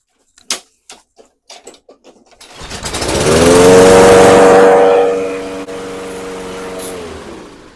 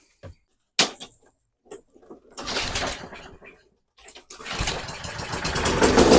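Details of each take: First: Toro 22-inch Recycler mower, Kohler 149cc 6.75hp engine, after carburetor cleaning, freed throttle butterfly, new bowl O-ring, air filter and fresh non-ethanol gas: several cord pulls, engine catches, runs to a steady even buzz; runs normally. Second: Toro 22-inch Recycler mower, Kohler 149cc 6.75hp, old fuel, dirty air filter removed, before carb cleaning: after cranking bursts it starts and revs climb unchecked; overspeed, suspected sticking governor linkage or throttle butterfly.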